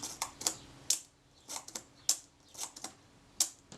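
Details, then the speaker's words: Rolleicord Va leaf shutter during servicing after adjustment, slow speeds around 1/8 and 1/15 s tested: crisp clicks, each release opening and shutting almost at once, too quick for the set speed; escapement running too fast, needs further adjustment. "But I can tell that the shutter's going too fast. So I need to make another adjustment."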